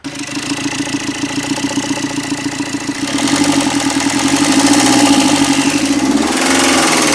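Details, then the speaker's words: Tata Zest diesel, timing chain and lower-end work already done: steady regular thudding knock about four per second at idle that stays through a rev rise; knock lessens when an injector wire is unplugged, cause not confirmed. "लेकिन गाड़ी के अंदर एक ठक ठक करके आवाज आ रही है और नंबर इंजेक्टर की वायर खोलने से जो साउंड है वह कम हो रहा"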